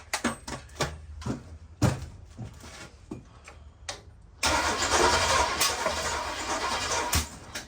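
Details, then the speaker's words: Rat bus V8, fuel filter empty, primed by hand: several ragged cranking bursts and pops, backfire, then catches and runs loud and uneven; timing suspected slightly off; hard start. "We had a little bit of a backfire. I think we're out of timing a tad bit."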